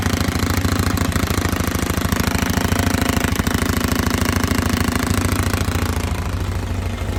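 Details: 2005 Polaris Sportsman 500 H.O. quad that also won't drive forward or reverse: fast, even hammering rattle with heavy shaking from the running engine, found to be a shredded CVT drive belt.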